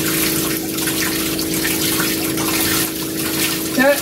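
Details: New water pump on a 1980s 36ft Springer narrowboat, feeding the shower on hot only from a Cointra CPA11 LPG boiler. A steady low electric hum under heavy, even water flow. Normal pump running.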